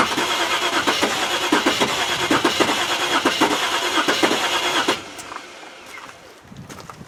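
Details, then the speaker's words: Range Rover project, chilly day, ECU wired straight from the battery. Starter cranks steadily at about seventy-five turns a minute, nearly catches but never fires: crank no-start; owner suspects flooded, wet plugs. "sounds like it's flooding god it's so close innit i think that's its problem though it's the way it was done wrong"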